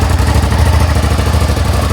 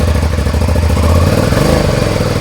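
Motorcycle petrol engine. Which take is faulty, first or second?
second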